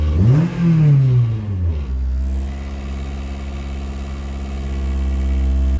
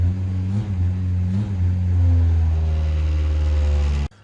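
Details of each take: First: K20-swapped Honda Jazz/Fit on cold start, with an FN2 airbox containing a MAF plugged in: a quick rev blip drops back and settles into a low, steady idle. The idle drops much lower and the engine revs. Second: K20-swapped Honda Jazz/Fit, cold start: the engine holds a steady raised idle drone and barely lifts when the throttle is blipped, with rattles from solid engine mounts. Idles high and won't rev.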